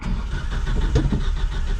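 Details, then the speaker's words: 1977 Datsun 620 with rebuilt engine, broke down: ragged pops and spits while cranking, firing unevenly and never catching. Owner suspects the distributor or jumped timing; cause not confirmed. "I'm still thinking something with that distributor ain't happy. Surely our rebuilt motor do a little jumping of the timing."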